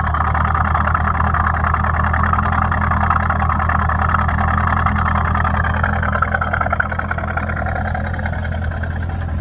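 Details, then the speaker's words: Restored C5 Corvette V8, about 20 years old, automatic, harmonic balancer fine, heard at idle: deep, even burble at a steady idle with no ticking, misses or knocks; engine smooth as silk, healthy idle. "sounds pretty good when it's idling no issues the engine is smooth as silk no noise whatsoever no ticking no any sort of noise"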